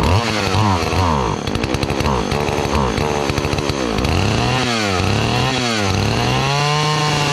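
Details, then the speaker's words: Partner 405 two-stroke chainsaw (model per description) revs surge and sag, bogging and stalling as throttle is squeezed; it runs on the choke but the more throttle, the more it chokes. Owner suspects fuel starvation or a dirty carburetor. "pero con el con el gatillo Cuanto más le aprieto más se ahoga yo creo que se queda sin combustible"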